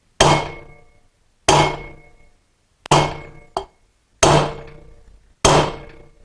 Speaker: get the bearing tool and begin tapping it down until you hear the tone change as we did on the other side